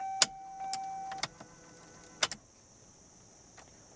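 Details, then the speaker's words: Chevy Malibu with intermittent immobilizer issues, scan-tool antenna ring test: sharp clicks, then a clear steady doo-doo tone for about a second as the key turns; theft light off, so it will crank and run. A non-working key earlier gave a different tone. "So you heard the doo-doo-doo-doo-doo-doo sound, and our theft light's actually off, so it'll crank and run right now."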